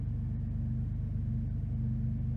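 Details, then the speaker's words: 2002 Jeep Liberty 3.7L at cold start: steady engine hum held at raised speed, erratic fast idle arriving unusually quickly; IAC valve previously cleaned with temporary improvement, cause not found. "well I've never had it to the erratic and fast idle so quickly normally it takes a few minutes to warm up and then go into fast idle that was interesting"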